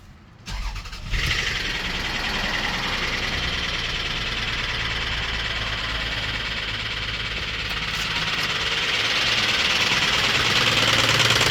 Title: 2000 Toyota Camry 3.0l v6 engine misfire cylinder 2 knocking on start up warranty claim inspect clip